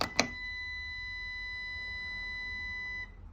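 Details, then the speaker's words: 2012 Lexus RX 350, bought at 127K miles; its power liftgate worked inconsistently, then stopped, and dealer strut replacement did not fix it. Pressing the key fob liftgate button gives a steady, high-pitched warning beep of about three seconds. The liftgate motor or struts are suspected. "Now, when I get the key fob and then hit the power liftgate button on it, it gives me that long beep for some reason."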